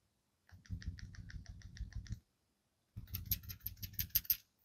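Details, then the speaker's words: Honda City/Jazz GE8 (2009-2014) PCV valves shaken by hand beside the mic: the old oil-coated valve gives a dull, muffled rattle and the new one a crisp click; the muted rattle does not necessarily mean the old valve has failed. "You can clearly hear a difference, the old one being more muted. But that is because it's covered internally with oil residue. It doesn't mean that it's not working."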